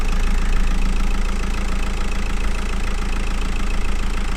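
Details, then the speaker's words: VW Golf V 2.0 TDI 140 hp after cleaning corroded ground connections (previously smoky, loud, weak charging, codes 18051/16683): low even diesel idle clatter, steady, far quieter, no smoke, voltage near 14 V. "16 się stabilizuje się 3/14 20 razy ciszej pracuje równie nie kopci"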